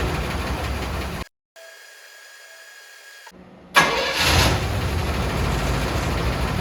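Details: 1979 Cadillac Brougham d'Elegance, 425 cu in four-barrel V8, stored about 10 years in a pole barn, new battery, running on old fuel: after a short crank it fires up and settles into an even, steady idle with no misses; starts normally.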